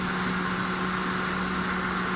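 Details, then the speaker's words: Hyundai Santro after fuel fault repair and tappet adjustment, misfire gone: steady even idle with constant hum, no stumble; engine now running smoothly. "Martial अब बिलकुल smooth दिल है गाड़ी में चलाकर पका भी ठीक हो गया"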